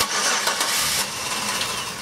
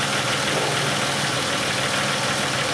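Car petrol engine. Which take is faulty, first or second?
first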